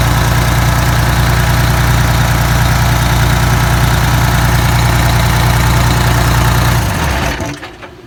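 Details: Detroit 6V92TA two-stroke diesel, test run after Jake brake install: steady even low idle drone without stumbles, winding down smoothly at shutoff; oil took a minute to reach the jakes; successful test, healthy.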